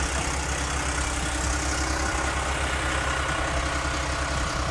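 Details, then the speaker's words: Audi A8 D3 petrol V8 with previously rebuilt head, started before teardown: even idle under a loud, uneven top-end knocking and rattling; owner suspects a failed camshaft phaser (VANOS-type), not confirmed, though the engine runs perfectly smoothly. "вот такой шикарный звук из предположение это я думаю что развалился фазовращатель"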